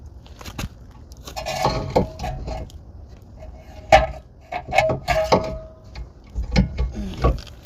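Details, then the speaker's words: 2020 Chevy Equinox rear electric parking brake caliper motor, removed for pad and rotor replacement and bench-powered from a battery: short bursts of steady mid-pitched whir between clicks as it spins freely to retract the piston; normal operation. "I have my cables ran to a battery, and like I said, you're gonna hear the motor engage. While it's engaging, if the piston is turning out, you need to stop and reverse the contacts. You just want to hear the motor spinning."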